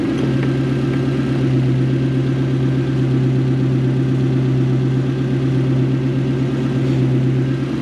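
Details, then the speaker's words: Toyota 1UZ-FE V8 in a Hiace van, about 15-year-old tune: after sorting the wiring and idle speed, a smooth, steady low burble with no misses, whereas before it was chuffy out the exhaust; clean, even idle. "by sorting the wire you've got idle speed and wiring and it sounds like that whereas before it was chuffy out the back and would hardly read properly"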